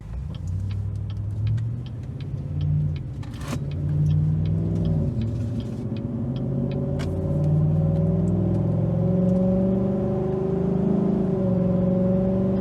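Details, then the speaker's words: 2019 Chevrolet Silverado, about 4,000 miles after fitting a Range Technology DFM Disabler, with a new intake audible, doing a pull. Engine note climbs and drops cleanly through several shifts with no flare or clunk; transmission shifts fast and smoothly. "Yeah, there's just a little sample of how smooth this transmission is. I mean, it's pretty damn near perfect. It shifts fast, it shifts well."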